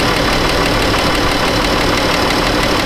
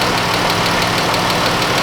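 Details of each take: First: 2013 Chrysler 200 3.6 with an overheating complaint, at idle: both cooling fans kick on, a steady, even rush of air with no rattle or wobble, working normally. A head gasket failure was later proven. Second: Chrysler 200 with 3.6 engine warming up at idle, being checked for overheating and head gasket failure; fast even ticking louder than normal over steady idle; lifters worn through cam tapping, noisy.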